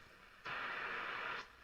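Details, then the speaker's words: Graetz Super 171W tube radio, first power-up during restoration, 240V, long wire antenna, tuned to medium wave: about a second of even hiss and crackle from the speaker; receiving normally. "I've got 240 volts on their speakers crackling away I put my long wire antenna in the back let's see where we are a medium wave hey we've got something well sort of"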